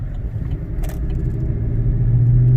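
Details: 2018 Silverado 5.3L V8, non-flex fuel, with an aFe Momentum GT intake replacing the compromised stock airbox, 95°F day, recorded in cab with windows up: deep, steady growl rising under moderate throttle. Healthy, louder intake with more low-end grunt.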